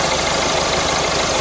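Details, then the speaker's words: Engine running, listening through an extension bar held on the power steering pump for bearing noise: steady, even engine hum with no grinding or rumble transmitted; power steering pump working normally. "now I can't uh hear anything on toward W there so as far as I'm concerned that's what that's working"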